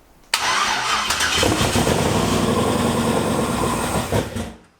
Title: Maliboost First Start After Only 30 Days. It Sounds Amazing